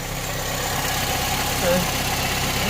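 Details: Honda Civic Type R FN2 after fitting a Piper sports cat and 4-1 manifold: steady, even, slightly raspy idle with no misses or knocks. Check-engine light is on from the sports cat, a possible gas-leak sound was noted, and there was no smoke at 2k rpm. Normal idle.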